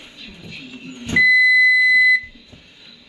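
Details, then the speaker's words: Frigidaire Gallery range after repair of the F11 beeping error: single normal beep on plugging in, with no error beeping following about 30 seconds later. "there's the beep you should get when you plug it in"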